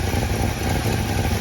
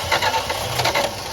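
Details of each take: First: 1966 Plymouth Fury III, Poly 318 V8, after new coil, plugs, distributor cap and fuel work: now idles on its own without throttle, steady, even and very quiet, where before it needed high throttle; intermittent high beeping in background. Normal idle. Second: 1966 Plymouth Fury III Poly 318 V8 after carburetor, coil and ignition work: starter spins fast even pulses but never catches; fuel just reaching the filter, not yet at the carb.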